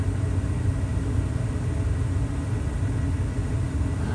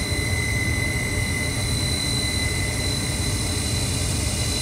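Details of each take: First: Carrier 58CVA110-20 natural gas furnace after inducer motor rebuild (motor HC21ZE127, new wheel, gasket, seal): steady deep hum under load, previous house-filling whine gone. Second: Carrier 58CVA110-20 natural gas furnace, Jakel J238-150-15217 inducer motor: steady high-pitched whine over the furnace rumble, ringing through the house; inducer motor rebuilt/replaced.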